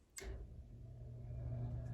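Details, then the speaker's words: Central air conditioning unit switched on after replacing a 4-wire non-programmable dial thermostat: a sharp click, then a low hum building smoothly as the unit comes up to speed; normal start. "Yep, turned on the air conditioner."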